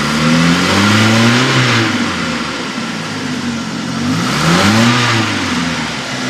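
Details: 2000 Chevy S10 2.2 (ZQ8): the engine revs up and down with a dry rattle riding on top as it climbs. The source is unknown.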